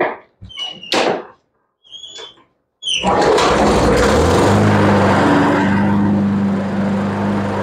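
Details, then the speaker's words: Craigslist Toro mower that previously would not shut off, started on the floor: fires on the pull after some handling knocks, settles into a steady even buzz; starts a little odd but runs well; new spark plug and air filter planned. "Now she starts a little odd, but she does run pretty good."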